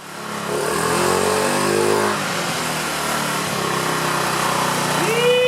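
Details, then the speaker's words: 2009 Honda Metropolitan scooter after the carburetor was cleaned and the needle valve plunger and throat were sanded and silicone-sprayed: it revs cleanly and smoothly with a steady buzzy note, no bogging or stumble, running healthy. "Now you sound pretty good. I think we should take it out for a test drive."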